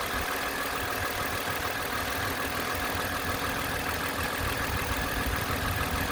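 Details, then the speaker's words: 2010 Toyota Camry XLE idling after water pump replacement (old pump had failed gaskets): smooth, even idle with soft steady hum and no knocks or squeals. "the rest is just starting it up and letting you listen to it"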